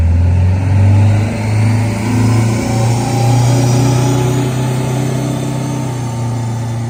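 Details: Eagle bus under throttle above about 25 mph: deep droning throb about four times a second, like an unbalanced tire or blown muffler, starting after a steep Jake-brake descent, no power loss; traced to play at the drop box input yoke.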